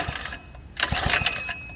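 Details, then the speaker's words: Coleman SK100 3hp go-kart small engine, on choke, throttle held in slightly: quick rattling recoil starter pull with a few compression pulses but it never catches; cranks but fails to start, next step starter fluid in the air intake. "Most likely not, yeah. So next thing you want to do, if it doesn't start from you pulling it, you want to take that air cover off."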